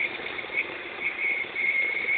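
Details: X20XEV engine, warm: a thin, steady high whistle holds its pitch over the running engine and occurs only when warm; source not yet pinned down.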